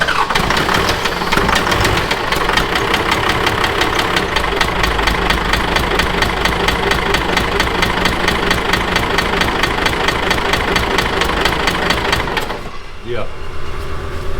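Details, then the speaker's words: Cummins 12-valve diesel in a Dodge dually project truck that quit running for unknown reasons, turbo spinning fine: loud steady clatter with a heavy knock about twice a second, then shutdown; heavy engine knock, suspected broken rod, not confirmed. "all right engine's done her's got a knock in got some major it sound like you got a broke Rod or something something major happen in the engine"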